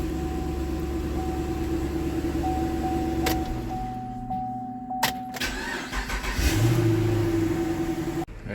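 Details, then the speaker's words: 2011 Chevrolet Camaro 6.2 towed in with no crank and no start, after a blown fuse was replaced and battery power restored. It starts right up and settles into a steady, even idle with a faint constant whine. "first start up what start right on up"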